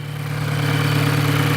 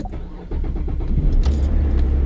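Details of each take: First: Very noisy Volkswagen GTI petrol engine idling just after start-up, busy clattery mechanical rattle over low hum; mechanic suspects carbon buildup causing poor lubrication; engine rattle at idle. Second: 2014 GMC Terrain cold start at 17°F after fuel injector cleaner soaked overnight; owner had reported hard cold starting. Brief crank, catches at once and settles into a smooth, even idle with no stumble.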